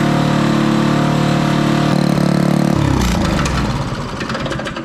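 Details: Toro Power Clear 518 ZE snowblower after repair with a replacement muffler fitted. The small single-cylinder engine putters smoothly at steady speed, then winds down at shut-off, so it is running normally.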